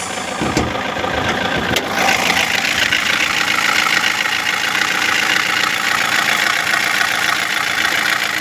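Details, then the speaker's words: 2016 Toyota Corolla with replaced engine assembly, idle: busy, loose ticking tap about three or four a second over a steady hum, getting louder since the day before; cause under investigation, engine computer replacement considered. "there is knocking noise they said already change uh engine assembly but uh this uh if running it will create more sounds knocking knocking noise now the sounds become [Music] high from yesterday"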